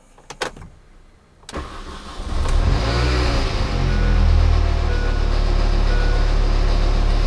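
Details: Supercharger pulley rattle on a 2006 Mini Cooper S with 25,000 miles, just started and idling: a steady, rattly, nasty low buzzing rides over the idle and holds on, pointing to a worn supercharger pulley.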